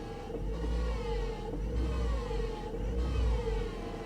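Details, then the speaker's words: 2019 Chevrolet Silverado salvage truck, all airbags deployed, running in park and drive: steady mid-pitched whine over low engine hum, described like rocks in the transmission, quieter in reverse; transmission problem suspected, not confirmed. "what is that noise that sounds like rocks inside of the transmission or something man"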